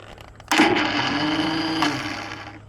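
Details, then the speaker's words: Engine with a newly installed starter, on choke: high steady whir for about two seconds with no compression beats; starter spins without turning the engine; owner suspects seized engine or dead battery. "This is a brand new starter. And it sounds like It almost sounds like the motor is seized. It It sounds like this just isn't turning this."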